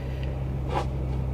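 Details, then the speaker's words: Normal quiet idle of a 2021 Ford F150 XL 4x4, 2.7L, 56,649 miles, at a Copart auction despite substantial front-end underside damage: low, steady hum with no knocks or ticks. The engine runs great and the truck goes into gear and moves. "It's so quiet."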